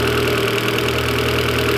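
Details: Turbo 1.8 20v petrol engine with the exhaust refitted: even, steady idle with a light mechanical tick and no stumbling or hunting; the tick and fluctuations are considered normal.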